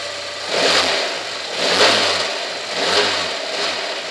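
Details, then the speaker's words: Engine replayed after stick listening: three throttle blips, each bringing a light metallic rattle up top that rises with revs; owner admits the timing chain is somewhat loose and rattling. "Вот немножко ципура у меня, конечно, гремит. Это и хорошо. Есть хоть о чём видео заснять."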